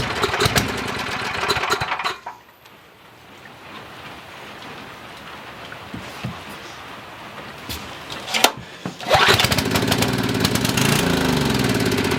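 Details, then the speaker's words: Coleman Maxa 5000 ER generator, choke possibly installed upside down: runs unevenly a couple of seconds, sags and cuts out, a restart runs on; carburetor fuel starvation, a missed small hole later found in the needle; carburetor eventually replaced. "all right guys so I've been struggling trying to get this thing to even idle correctly it'll idle for like a minute and then it starts bogging down and just shuts off"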